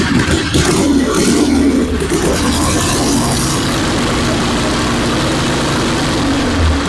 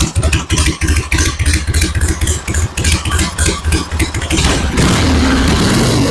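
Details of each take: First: 1974 Harley-Davidson Ironhead XLH Sportster chopper on a battery charger at startup, before the ignition work: loud, uneven idle with occasional stumbles, as if about to die; the owner suspects the ignition is cutting out, and fuel is reaching it. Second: 1974 Harley-Davidson Ironhead Sportster chopper, battery at 12.8 V: throttle blips, then smooth steady loping idle with no misfires; normal idle.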